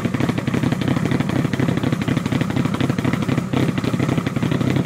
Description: Evo 1 4g63t Fully Forged 264cams rough as hell idle